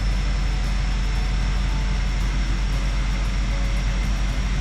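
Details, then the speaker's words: 2011 Ford F450 diesel idling smooth and even after replacing and programming the 6-7 injector (code P1266 injector short/misfire); no stumble or knock. "Fire this thing up here and see how it runs. Oh, runs like a dream."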